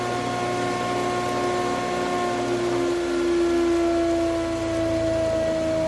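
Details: Large planer from a viewer, previously used off-grid to mill sawmill lumber, cutting dry English walnut (swapped from wet Douglas fir) after rollers set just above table flush: steady motor hum dipping slightly in pitch as the board feeds; smooth, healthy.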